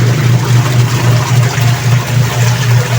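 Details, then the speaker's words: Dowell washing machine after gearcase replacement for grinding noise when the pulsator turned: steady low drone swelling and fading evenly with agitation over sloshing water, no grinding or knocking, spinning strongly with no leaks; normal wash agitation. "ayon okay na umaandar na at wala ng ingay matahimik so malakas din umikot"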